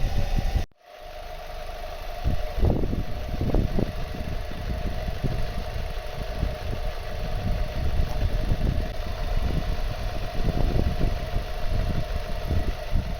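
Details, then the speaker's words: Ford Fiesta ST150 petrol engine idling after Seafoam treatment during an oil flush: steady low idle with light irregular tapping still faintly audible, reduced but not gone, quieter than before the flush. "It really shows how much difference it makes, because even when I just put the Seafoam in, it started to get a little bit quieter, there was less tapping."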